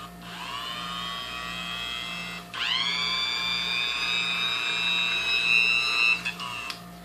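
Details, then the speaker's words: Barely used vintage Sunbeam Mixmaster Junior hand mixer on its original brittle cord, tested before cleaning and oiling: a steady high motor whine that spins up quickly with no rattle or grinding, running a little slow but healthy. "can run a little slow but it sounds good though the motor actually sounds good"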